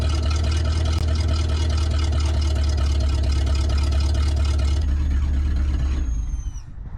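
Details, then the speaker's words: Abandoned 1963 Loadstar truck V8, warmed up: deep, steady rumble holds an even idle for several seconds, then it is switched off; now holding idle normally. "all right baby now that we have it holding the idle i think our transmission is going to be functional"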